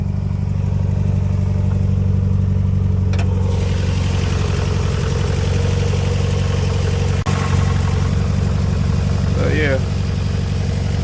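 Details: Mazda Protege with BP engine: lumpy, uneven idle with a stumbling low beat as one cylinder keeps dropping out; misfire from a burnt valve attributed to loose rings on that cylinder.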